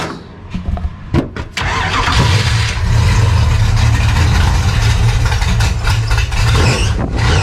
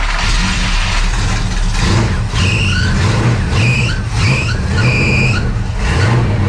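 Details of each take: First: Race car after a new camshaft-driven fuel pump install: starter cranks steadily about four beats a second but the engine never catches because the fuel was shut off; crank, no start from no fuel. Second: Dirt race car after the fuel pump diaphragm hook was reattached and fuel flow restored: engine keeps running steadily, with sharp squeals in short bursts every second or so from squeaky belts while the alternator charges a run-down battery.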